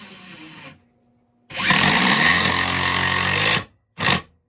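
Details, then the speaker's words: Metabo HPT 36V triple hammer impact driver, possibly quieter than Makita: two-second burst of rapid, buzzy hammering at steady speed, clean start and stop, short blip; distinctive sound, slightly less vibration; working normally. "That is just an interesting sounding tool. It is totally different. And it does feel like there's slightly less vibration."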